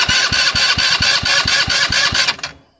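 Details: 2019 Dongfang four-seat go-kart, sitting over a year, with a recharged battery and bad gas drained: a steady starter chug at about two turns per second that never catches, cranking but no start.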